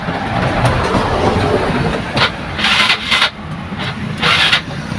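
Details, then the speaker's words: Yamaha Mio Sporty scooter with battery that keeps going flat and broken kick starter, battery being charged before regulator check: short bursts of cranking stop and restart repeatedly without catching; hard starting, cause (regulator, stator or battery) not yet determined. "No, mga tropa, hirap po talaga yung kanyang makina nga mapa-start, no?"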